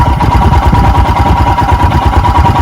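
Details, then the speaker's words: 2021 EFI Royal Enfield Himalayan single just after a cold start with the choke/idle lever down: lumpy, uneven thump at a low, wavering idle, not yet at the usual 1200 rpm; rough cold idle. "It's just hinky as hell. I don't hear any difference, and I don't see any difference."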